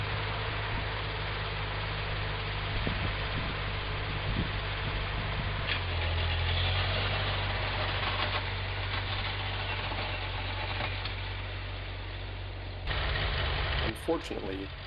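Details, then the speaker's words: Ford 9N tractor, running after spark plug work but hard to start for two weeks: low idle thump turns uneven and stumbles, then cuts out. A mechanic says this sign means a bad coil; the coil was confirmed as the culprit. "euphoria is short-lived as you can hear the tractors starting to sputter right now and as you've seen a few seconds it dies on me I had it explained to me from a mechanic that this is a sign ie the tractor running for a good 10 to 15 minutes and then shutting down of a bad coil"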